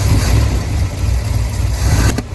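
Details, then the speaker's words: 1965 Ford F100 body on 1974 highboy chassis, V8 supposedly a new crate 390, automatic: after a carburetor swap, warming up, the engine holds a deep, steady, even idle with good oil pressure; normal idle. "That seems to be running pretty good. Just like that. A little carb swap and she's back up and running."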